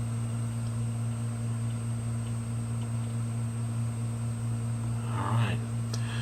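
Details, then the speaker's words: Hard drive previously frozen, powering up on an imager: a steady low spindle hum at full speed with a faint high whine and no clicking or grinding; the drive spun up and the heads loaded normally. "Okay, for a second there I didn't think it was going to spin up even. So it's in a busy state here."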